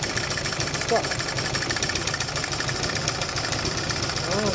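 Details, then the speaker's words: Renault Dauphine engine running with valve cover off, 40 psi lower-end oil pressure, rocker assemblies apparently starved of oil: steady idle with light, irregular top-end ticking; possibly a sticking intake valve, owner suspects plugged rocker oil feed bolt. "Maybe I just have a sticky valve, but I think I'm not getting enough oil. Should be oil just shooting out of these rockers and out of the little holes in between."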